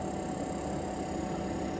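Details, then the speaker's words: SETPOWER 58QT dual-zone portable fridge: initial rattle fades as the compressor gets up to speed, leaving a steady even fan whir with faint hum; normal compressor fan noise. "There's going to be that kind of like rattle until the compressor gets up to speed, and then you're just going to hear the fan. Not to say that the fan is obnoxiously loud or a whiny sound that would bo"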